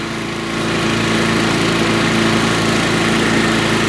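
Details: Curbside-find Craftsman lawn vacuum shredder, small engine with a cleaned carburetor and new spark plug, catches and settles into a steady, even buzz of constant pitch with no misses; it burns a lot of oil.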